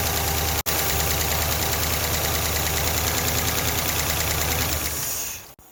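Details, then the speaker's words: Ford LTD with new camshaft and lifters, running with milky "milkshake" oil: idle with quick, even light ticking a few per second, then shut off. Lifter or valve train tap of unknown source, which later quieted a little; milkshake oil is bad for the new parts. "hopefully hopefully i can pinpoint where that tap is coming from and that milkshake"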